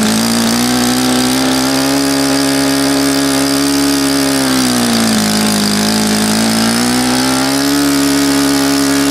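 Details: Saito FA-100 glow four-stroke after rebuild (new bearings, gasket set, tappets; exhaust tappet was mushroomed), APC 14x6 prop, Omega 10% fuel, OS F plug: steady high buzz dips briefly mid-run, then climbs back and holds clean and even; healthy.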